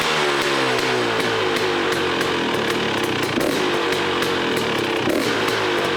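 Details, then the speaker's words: KTM 250 XCW two-stroke after fitting an FMF exhaust pipe listed for a 2018 XC: sharp, ringing note climbs and drops cleanly through several revs with a loud, crisp exhaust. Engine runs healthy, maybe slightly louder than before. "I was able to get it to fit sounds pretty good it's actually maybe just as loud a little bit louder you guys can judge from the before and after"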